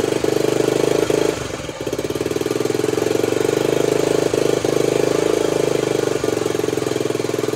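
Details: Honda CT90 (Trail 90) with a stock engine, after a full restoration and new wiring harness, started on barely any fuel after it seemed flooded: even, quick putting idle with only a brief early dip, steady beat; runs healthy.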